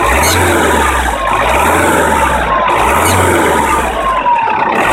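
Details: Vauxhall/Opel 1.9 CDTI diesel on cold start: thin wavering squeal around 1 kHz repeating over low diesel clatter, stops after about a minute; cause unidentified. Finding: squeal on cold start.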